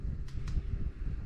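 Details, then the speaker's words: Newly installed low-watt ceiling fan in an off-grid Alaska cabin on a 24 V 3000 W inverter: smooth steady low hum with airy rush, no knocks or rattles; normal running with mild motor hum. "there's two I can hear a little bit of a hum it's not bad I mostly hear the air from the fans wow that moves a lot of air"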